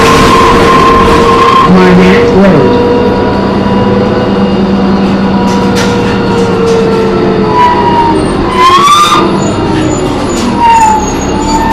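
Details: MTA New Flyer D40LF bus recorded on board while driving; loud high screech rising and falling over drive noise, worst around nine seconds, from the brakes or transmission, cause unclear.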